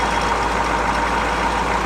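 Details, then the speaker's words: 6.2 diesel CUCV truck on fast idle warming toward 94° coolant temperature, with spin-on fuel filter and good air filter: steady, even idle, constant hum, no misses, knocks or surges. "so if you got good fuel filter good air filter and you can see it's running nice and smooth you can hear it being nice and"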